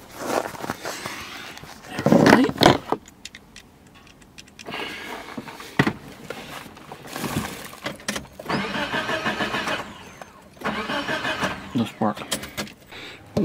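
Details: Engine on an experimental ignition setup: a kit ignition timing module driving an old 1970s CDI box. Keys rattle, then two short, even cranking bursts, but it never fires. Cranks, no start; cause only suspected.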